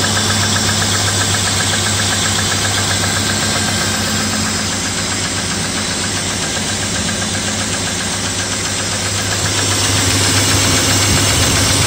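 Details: BMW E34 M50 inline-six at cold idle around +2°C, after switching from 10W-60 to 0W-30 oil: light even ticking about four times a second as the hydraulic lifters tap before they fill, fading shortly after.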